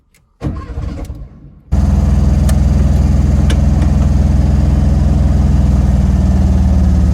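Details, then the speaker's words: 1971 Volkswagen Karmann Ghia, revived after sitting over 20 years with fuel lines cleaned: several seconds of uneven cranking, then a low, lumpy idle pulsing about 200 a minute that never settles; hard start, rough running, no oil leaks. "It definitely needs some help. But we have no oil leaks. All that's left to do now get it idling a bit better, and then we're good to take this thing on its first proper drive."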